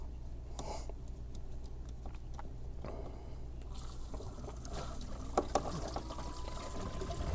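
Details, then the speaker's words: Circulation pump after bleeding air lock, fitting closed: low steady pump hum with trickle of water at bleed point; pump fully primed and pushing water, heater contactor then clicks on. "And there you go. It has fully primed. And in a little bit, we're going to hear the contactors click on the heater, and you have successfully primed your circulation pump."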